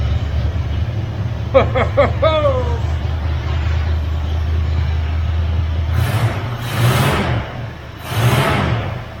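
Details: 1978 Ford F-350 crew cab parked 11 years, after new carburetor, new HEI distributor and electric fuel pump; short crank, catches quickly, even low idle, three clean revs dropping back smoothly; running healthy.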